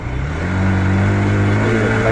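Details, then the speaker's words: Runner Knight Rider motorcycle that stalled and boomed on pickup and knocked when ridden; fixed by opening the top nut, draining the oil, and retightening: smooth pickup climbing to a steady drone, no knocking. "এখন সম্পূর্ণ pickup নিতেছে RPM উঠেছে যে ধাক্কা দিত বা knock করতো এই সমস্যাটা কিন্তু এখন আর নেই"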